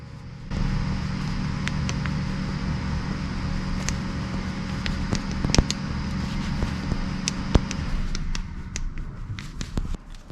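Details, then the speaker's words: Lotus Elise shock removed and stripped: sharp, irregular clicks as the worn, loose spherical ball bearing at the shock's top mount is moved by hand. Suspected source of the car's creak; replacement bearings were sent. "i think you'll be able to hear this clicking when i put my fingers on this little ball bearing here and move it around a little"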